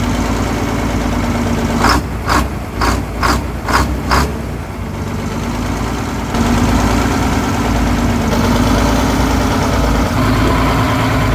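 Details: 1970 GMC Astro, Detroit Diesel 6-71 two-stroke, just revived after 25 years off the road: a few sharp knocks, then settles into an even steady idle without the earlier surging, much better than before; running smoothly.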